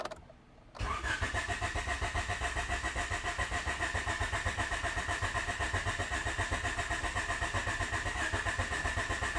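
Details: B17-swapped EF hatch, starting fluid squirted: the starter churns at an even beat of about four pulses a second and never catches. This is a crank no-start from no fuel, though the pump had run and fuel came from the filter.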